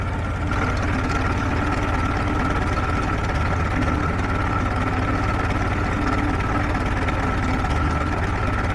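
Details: Warm 1947 Farmall H tractor idling on a temporary fuel can after a new generator belt, radiator hoses and a 12-volt alternator conversion: even, low, steady idle with an unchanging beat, no knocks or misses; oil pressure good, running healthy.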